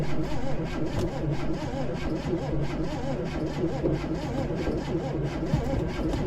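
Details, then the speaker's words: 1971 Chevy Nova revival, first start attempt with Bud Light poured in: long steady cranking with no firing or catch; no spark, coil suspected. ">> No spark. >> Need some ether. Clear. No spark."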